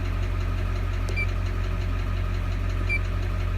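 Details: 2001 Chevrolet Duramax 6.6 L diesel at idle: sharp steady ticking about three times a second over deep diesel idle; crazy tapping noise from the engine.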